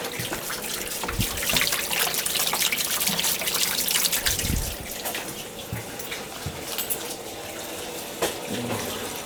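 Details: Gas hot-water boiler, second floor zone, after a pipe repair with couplings, turned on to check for leaks: steady hissing rush of water with gurgles and light knocks as the pipes fill. Normal flow, no sign of trouble.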